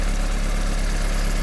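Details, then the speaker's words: 1991 VW Passat B3 1.8 petrol with a new distributor cap fitted (it misfired before): a smooth, deep, even idle with no stumble or skipped beats; running clean. "Ну вот всё работает с данной крышечкой новенькая красивенькая если слышно звук мотора всё прекрасно работает"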